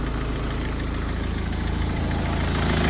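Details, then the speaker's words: Talbot Express with swapped Peugeot 2.0 HDI DW10RHY diesel, 20 psi boost, R70 BMW fuel pump, MR2 intercooler, tuned: steady even idle with soft regular clatter, no misses or knocks, fuel pump audible; runs clean and healthy. "Runs clean as anything. sounds pretty good, too."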